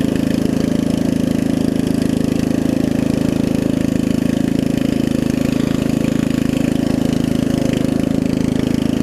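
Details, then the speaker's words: Murray widebody riding mower with 16.5 hp Briggs single-cylinder engine, after new carb, fuel lines and valve adjustment: steady, even idle, idles down really low, smooth regular beat with no knocks or misses; runs really good. "Good, it idles down too. It idles down real low. It idles down really low. Runs really good too."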